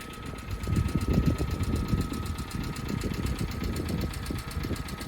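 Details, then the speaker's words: Cheap budget car that sat a long time, idling on possibly bad old oil; rough idle with loose uneven tapping about three per second over low rumble; owner suspects valve train noise from sitting, hoping heat cycle quietens it; ticking at idle. "sounds like it's drivve train I think cuz it's sat there for so long so we'll let it he heat up get a heat cycle through it we'll see if that oil comes through and and quietens down that valve train"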